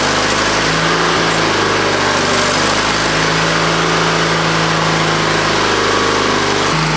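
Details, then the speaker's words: Used lawnmower engine on an old Ariens walk-behind mower after head bolt work and a new top, choke on, throttle up: steady even single-cylinder note with no misses or knocks, a brief dip near the end, likely running out of fuel. "Well, it ran good. Runs really good."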